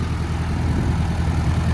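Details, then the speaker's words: 1956 Belgian VW Oval Window Beetle, 36 hp air-cooled engine with 6-volt crash box transmission: even, low chuffing idle with steady beat, no misses or knocks; a good runner. "You can hear it. It's a good runner."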